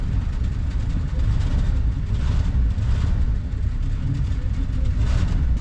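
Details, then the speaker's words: 1973 Mercury Grand Marquis, 429 Ford big-block V8, 55k miles, long parked, after Seafoam and Berryman's fuel treatment: lumpy, uneven idle rumble, running slightly better; carburetor still needs rebuilding. "starting to run a little better too it definitely still needs the carb rebuilt"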